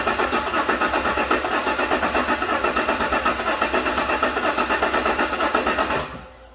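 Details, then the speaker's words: 2016–2017 Chevy Silverado 1500 4x4 5.3 with flashing check engine light, tick and misfire, cranking in clear flood mode: uneven pulses, one beat per cycle different; cyclical mechanical problem, later found bent pushrod and broken lifter. "Now I would imagine, I hope the camera picked up that cyclical cadence. So there is a definite mechanical problem in this engine."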